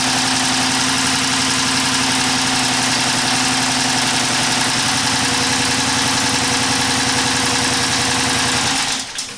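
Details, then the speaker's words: 2011 Chrysler 300 5.7 V8 (two plugs per cylinder) with P0300/P0302 misfire, cranking with pressure waveform: uneven thumps, about three to four a second; exhaust valve not opening on the misfiring cylinder, pressure spike where exhaust stroke should read near zero. "right here you can see our problem this we can see that our exhaust while it's not it's not opening and then we have a spike here"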